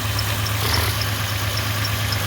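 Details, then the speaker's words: Engine idling just after a passenger-side valve cover gasket replacement, run to check for oil leaks: a steady low idle with a sharp high chirp repeating three to four times a second. The drive belt is squeaking. "the oil leaks that I had on here it's in the back notorious going bad in the back first got a little squeak the"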